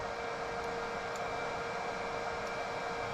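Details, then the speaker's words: HP Z440 workstation on the bench, with a Xeon E5-2686 at 3.1 GHz, 32 GB RAM, R9 280 graphics and rear and front chassis fans not detected: constant loud airy roar and hum, fans pinned at full speed, cause unconfirmed. "I mean it's working fine other than the fans being wide ass open"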